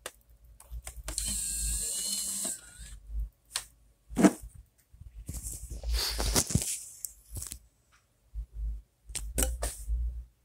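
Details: Nintendo Wii with a Spider-Man: Into the Spider-Verse DVD inserted: whirring spin-up, then scattered clicks and rattles as the laser hunts; unsupported disc cannot be read, error shown.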